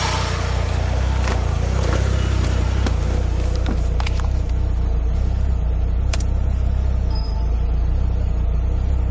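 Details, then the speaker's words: 2005 Ford Escape 2.3 L four-cylinder hit by lightning: heavy, lumpy idle rumble with uneven pulses as a couple of cylinders drop out; misfiring. "You can see a couple cylinders are dropping out."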